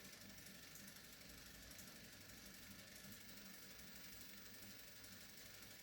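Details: ACL camera with 4-speed motor running, noise test; motor itself near silent, noise from camera body, magazine and axle coupler: quiet steady whirr with faint rapid ticking; body not in perfect condition.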